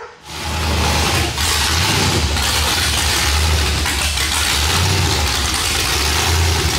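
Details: Chevrolet Silverado cammed 5.3 V8 after long tube header install, exhaust unfinished and very loud: choppy idle with uneven lope over deep rumble and raw open-header bark; normal healthy cammed idle.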